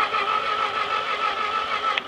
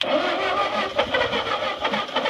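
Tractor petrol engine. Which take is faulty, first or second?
second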